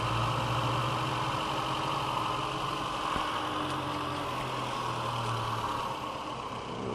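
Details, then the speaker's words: VW A1 with CIS injection, hard cold starting, wiring repaired; the idle hums and rises and sags every second or two as the O2 sensor comes online and cycles the mixture, which still needs adjusting. "once the o2 comes online you'll hear the engine I don't fluctuate"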